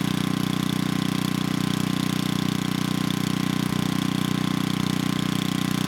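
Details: 1987 VoltMaster 4,000 W generator, 8 hp Briggs & Stratton flathead, about 34 years old. Once choke was sorted it runs better: steady governed-speed drone, smooth even beat, no misses.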